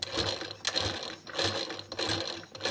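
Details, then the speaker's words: Sewing machine after the needle-related tak-tak noise was fixed; it still runs with a dry, rattling clatter in uneven pulses because the mechanism is dry and needs oil. "जो tractor से जो पहले आवाज आ रही थी यह सही हो गई लेकिन अब ये जो आवाज आ रही है यह मशीन के यल के वजह से आवाज आ रही है"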